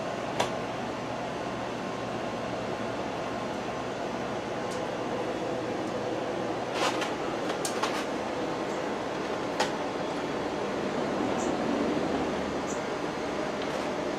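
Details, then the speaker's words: Outdoor fan set to high, running for the first time since last year after a long, cold winter. It reaches speed with a steady, even rush of air and a low, constant hum, with no knocks or scraping. Normal fan running. "And it looks like that has gotten up to speed. I certainly feel the airflow. It works quite well out here."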